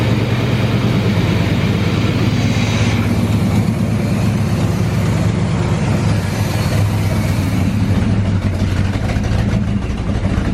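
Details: 1984 GMC Sierra C25, 454 big-block, first run after about 19 years parked, following a new fuel pump, tank, sending unit and carburetor: steady low V8 rumble, firing evenly, normal idle.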